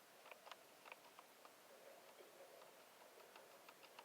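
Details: Nissan Versa 2006–10, old removed shifter assembly: faint, irregular light ticking from the park-lock motor, whose broken internal plastic gears stop it retracting in park so the key gets stuck.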